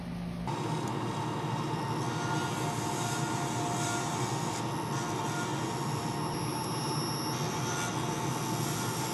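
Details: Wood lathe turning a laser-cut bow tie pen blank with a skew: thin steady high squeal under the cutting hiss; owner believes the live center bearings are going out and plans to replace it.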